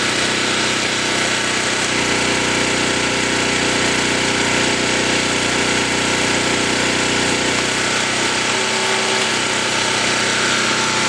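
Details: New portable camping generator on first run, in rain, under about 50% electrical load: steady even drone with no hunting or misses, producing power; normal running under load.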